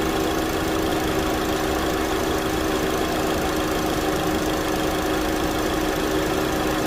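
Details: 2009 Chevy Cobalt, 339,428 miles, just started after a thermostat replacement for code P0128: steady, even idle drone with a constant low hum and no knocks or ticks, settling smoothly. Normal idle.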